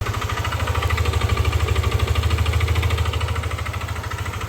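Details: Yamaha Aerox v2 scooter at idle: a steady pulsing knock about three times a second over the engine hum, a noisy engine with the cause not yet pinned down.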